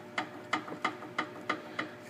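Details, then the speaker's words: 2009 Ford Escape front stabilizer (sway bar) link rocked by hand: six sharp evenly spaced clunks, about three a second; worn loose link causing front-end rattle over bumps. "That little bit of movement in there is enough to make all that noise."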